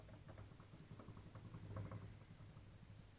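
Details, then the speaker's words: NTM Prop Drive 28-30s 900kV motor spun by hand: irregular clicking and rough, gritty grinding, with visible bell wobble; the owner suspects sub-standard bearings. Worn motor bearings. "this is the first motor I'll bring the camera closer so you can hear the clicking when it's when it's spinning you can also see the wobble in the motor can here the bearing"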